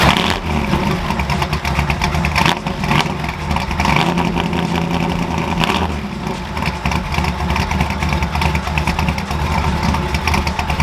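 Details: Ford F100 V8 after installing a McLeod lightweight aluminum flywheel and Super Street Pro clutch, exhaust refitted: lumpy idle, then revs climb and fall cleanly without knocks, expected higher-pitched from less rotating mass.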